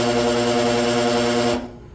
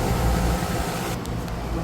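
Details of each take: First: New 230/460 V dual-voltage HVAC motor on a 208/230 V supply hums hard with strong buzzing and runs in the wrong direction; it should draw 9 A on 230 V but draws about 21 A, so it is suspected to be miswired. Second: HVAC unit with dual-voltage blower motor on a new motor and pulley, spinning counterclockwise at 4 amps, possibly the wrong pulley; fan motor and two compressors running: steady, even low hum, no knocking or rattling; sounds normal.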